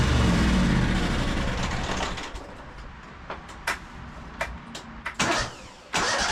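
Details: High-hour Cub Cadet 2186 lawn tractor with Kohler engine, after new coils and air filter: catches and runs rough for a couple of seconds, then fades into weak sputters and stalls. Fuel starvation from a split fuel line.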